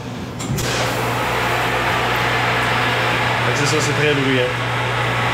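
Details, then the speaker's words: Bottle-washing machine draining its first soap wash before refilling with boiling rinse water: constant low motor hum, steady drone and faint watery churn; normal draining cycle, machine very loud. "de la machine est en train de drainer la première le premier le premier lavage la machine à savon puis le remet de l'eau qui est bouillant"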